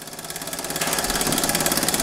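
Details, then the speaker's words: Old small all-steam-powered model engine, not run in about 20 years: quick even chuffing with steady steam hiss picking up pace; running freely, normal running. "this isn't really an RC but this is pretty friggin cool it is all steam-powered boys"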